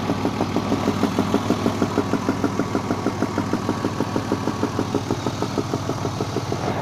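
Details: BMW E34 with M50 inline-six petrol engine idling with a sharp, steady knock repeating quickly in time with the engine; cause being investigated, valve cover to be removed.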